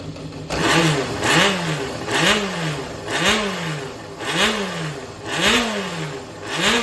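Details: Yamaha 4HM engine assembly for an XJR400, a used running unit with compression tested and no strange noise or white smoke: crisp throttle blips about once a second, revs rising and falling cleanly, no knocks; healthy running.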